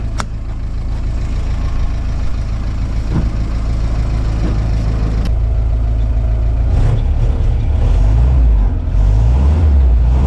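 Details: 1955 Willys CJ5 Jeep, just fitted with a new exhaust system and new differential and oil pan gaskets: deep steady idle, then a short stumble as revs climb before it picks up; hesitation on rev-up from ignition timing set too retarded.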